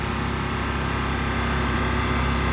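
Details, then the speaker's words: Honda EU1000 inverter generator after sitting 8 years, serviced with fresh fuel and oil, a lubricated cylinder, a cleaned plug, filters and carburetor, and a repolarized inverter: a steady, even, quiet buzzing idle with no misses or surging. "basically just sat for eight years and locked in time you had the looter tape the cylinder and clean spark plug and clean the carburetor and he just looking very quietly"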